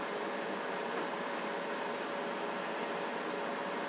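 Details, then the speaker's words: Van blower motor jumpered directly to 12 V battery after a new blower motor resistor failed to cure it: even, smooth airy whoosh with no rattle, squeal or surging; motor runs fine, it won't run when plugged into its connector. "can hear it running it's running beautiful the motor is running beautiful"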